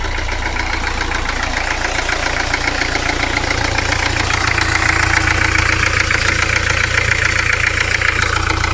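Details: 1985 Peugeot 505 diesel XD3 at idle: regular deep knock, about three to four a second, over the usual diesel clatter; rod knock after hard driving, engine needs replacing.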